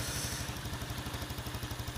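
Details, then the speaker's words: Yamaha Jupiter Z1 with earlier error code 46 that wouldn't idle because of an electrical fault now holds a smooth, regular single-cylinder idle with no hunting. Charging about 13 V running versus 12.x before. "Nah ini udah hidup motor ah langsam sudah enak Tadinya enggak mau langsam kok motornya memang motor ketika ada problem dikelistrikan ya itu memang rata-rata dia langsamnya susah"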